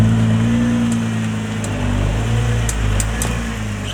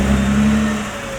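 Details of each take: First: 2020 (MY20) Nissan GT-R R35, about six months after purchase: faint irregular clicks from left front when steering right at low speed and reversing; reportedly rust on hub/bell-housing mounting surface, to be cleaned. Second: Nissan GT-R R35 MY20 creeping in reverse after cleaning rust off the left front hub ring mating surface: steady low engine hum, no clicking from the left front wheel, which clicked before maintenance.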